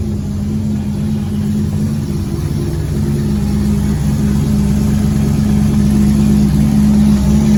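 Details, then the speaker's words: Chevrolet Nova on a late-model chassis, its first running motor in 38 years, after priming and timing. A strong, steady V8 burble with a firm even beat picks up slightly toward the end, after the thermostat gasket leak and cracked fuel pump were fixed. Normal idle. "we are so excited that the motor just runs like a top it just will bust off as soon as you turn it over"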